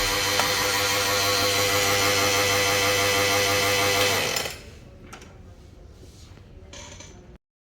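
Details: Kyocera TASKalfa copier grinding noise: loud, steady mechanical grind with gritty whir for about four seconds then stops; fixed by replacing the waste toner box (Parts Box Waste H Assy).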